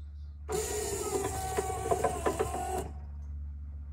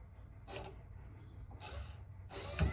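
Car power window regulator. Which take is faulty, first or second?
first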